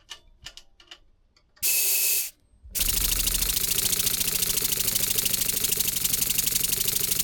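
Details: Scratch-built Wig Wag oscillating steam engine on compressed air, earlier recording: rapid uneven chuffs over steady hiss, stumbling; cylinder binding, apparently because pivot point is slightly skewed, running mainly on one corner with wear marks.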